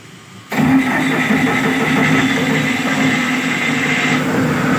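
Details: Cummins 50 kVA diesel genset after wiring repair and AS440 AVR installation: catches after a short crank and settles into a steady, even run with no knocks or odd noises; running fine.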